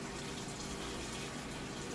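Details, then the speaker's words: 4-year-old Samsung HE washer starting a heavy-duty warm cycle, extra-large setting, heavy jeans-and-towel load, lid locked; steady rushing hiss of water filling the drum over a low pump hum. Normal water fill. "It's going to go ahead and fill up."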